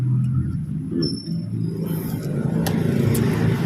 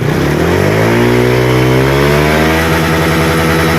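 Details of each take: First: Honda Click 125 scooter with error code 8, just overhauled with a new bore set: engine revs with a rough, uneven beat, misfiring under throttle because the throttle body was not tuned. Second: Overhauled Honda Click 125 with error code 8, after new spark plug and TP sensor/throttle body work: engine revs up and holds smooth even note with no misfire, previously misfiring.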